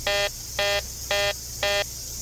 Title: uncovering a weird beeping noise during my home inspection #homeinspector #homeinspection